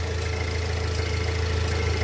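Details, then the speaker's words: Saturn Sky with manual transmission, after cooling-system repair for intermittent overheating and no cabin heat: everything reconnected, no coolant leak at the thermostat housing, and a steady, smooth, even idle with no ticks, knocks or skips; the engine sounds good. "The engine sounds good. Everything is reconnected. We're not leaking coolant, so that's good."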